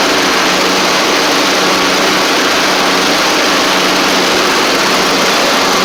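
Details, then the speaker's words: John Deere LT150 mower running with the deck engaged and blades turning, steady drone, no exhaust popping; much quieter after exhaust refitted with gasket and nuts from a parts engine (it had no exhaust before); normal. "I've engaged it a couple of times now. Oh man, it's so much quieter."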